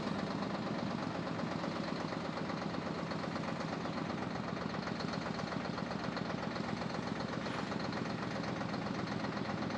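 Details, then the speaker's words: 1973 Mack R700 (year uncertain) with 865 V8 diesel, 5-speed, not run in about 20 years: loud rough diesel clatter pulsing about four times a second, firing only on ether/starting fluid; something missing on injection pump. "As you can see, it ran off a little ether there for a second. We just did that for fun."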